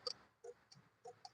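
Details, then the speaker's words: Hyundai Eon that won't start: with the key turned, the starter relay clicks sharply and repeatedly but there is no starter whir or cranking; dash lights come on with ignition. "Start ചെയ്യുമ്പോൾ ഒരു ഫീലും കിട്ടുന്നില്ല ആ relay അടിക്കുന്ന സ്റ്റാർട്ടിന്റെ relay അടിക്കുന്ന sound ഇവിടെ കേൾക്കുന്നുണ്ട് പക്ഷേ വണ്ടി സ്റ്റാർട്ട് ആവുന്നതായിട്ട് ഒരു ഫീലും കിട്ടുന്നില്ല"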